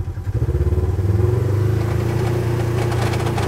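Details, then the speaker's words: Polaris RZR (Turbo S/XP1000) with a brand new shift cable adjusted three or four times: deep engine drone with fast pulsing clatter as it pulls; transmission not fully engaged, machine unsure which gear it is in. "we're not actually in a gear because it doesn't actually know where we're at and this is a brand new shift cable in this machine it's been adjusted three or four times anybody that rides a polaris has heard that noise of not knowing if you're in gear or not"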